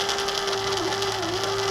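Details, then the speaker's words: Hobart Handler 125 welder wire feed motor with drive gear missing most teeth (about 4 of 10–12 left): steady small-motor whine with brief dips and hitches every fraction of a second; jerky, non-smooth wire feed. "look how jerky that is trying to weld like that with it jerking holy crap that's a pain in the butt it's not smooth at all"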